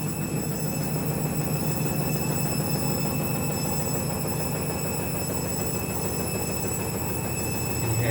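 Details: Candy washing machine on fast spin with new clothes, giving a loud, steady abnormal rumble with rapid rhythmic thumping underneath.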